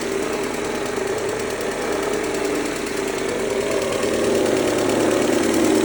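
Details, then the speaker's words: 2003 Mercedes-Benz A140 (W168), 196,000 km, sudden engine noise: steady fast ticking about four a second over the idle at the front of the engine; owner suspects timing chain or chain tensioner, unconfirmed. "um zu gucken wie das mit der Kette aussieht, weil das interessiert mich jetzt, ob das die Geräusch vielleicht von der Kette kommt. Kettenspanner ist oder so."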